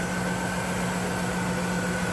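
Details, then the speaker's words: 1991 Cadillac Eldorado 4.9 V8, idling with the AC on: low, even hum with a faint steady belt whine and no ticks, misses or knocks; smooth-running. "Nice smooth running 4.9."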